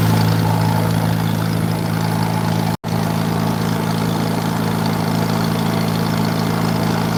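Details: 1940s wood splitter with International Cub engine, started after about 40 minutes of trying, main jet richened a little; splitter pressure being released. Low, even idle with a steady beat and one momentary dropout: fairly smooth idle.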